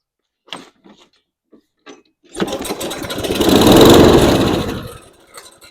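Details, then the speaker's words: Toro Recycler 22" mower with a Briggs & Stratton engine that won't start, tried with starting fluid through the air filter housing. It catches after a few pulls, runs briefly and dies within about three seconds: fuel delivery fault, carburetor to be disassembled. "it does so that tells me that something is wrong in the fuel system"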